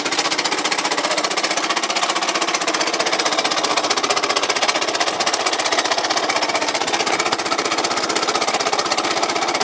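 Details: Yamaha Cygnus 125X FI scooter: a hard, even clatter at about four knocks a second comes from the engine. No drive reaches the rear wheel (the owner suspects a broken belt), and the FI lamp blinks with the key on. Cause not confirmed.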